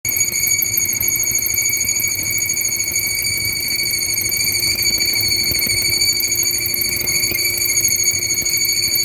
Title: Whirlpool stacked washer dryer squeaking noise